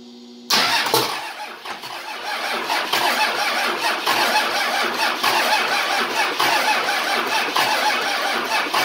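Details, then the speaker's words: 24V Cummins standalone-wired for a Dodge delete swap, cranking on first start attempt with lift pump hot-wired: starter spins with uneven rhythmic chug for several seconds but diesel never fires; crank no start. "so I'm going to I'm hoping this baby will start for me let's give her a try here nothing yet"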